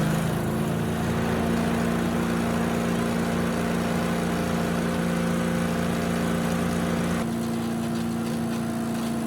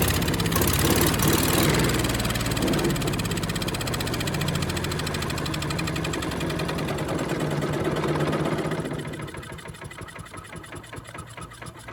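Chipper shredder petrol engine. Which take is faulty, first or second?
second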